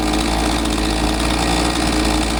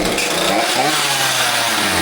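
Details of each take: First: Husqvarna 543XP two-stroke chainsaw after carburetor readjustment correcting owner's mis-tuning that caused bogging; holds steady, clean high rev with no surging or bogging; normal running after repair. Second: Husqvarna 543XP chainsaw bogging after owner's carb adjustment: runs with an uneven, burbling note and no crisp rev, barely runs; mixture screws at max rich within a limiter range likely moved too lean.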